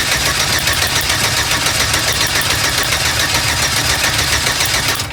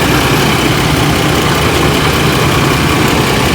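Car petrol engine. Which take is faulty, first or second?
first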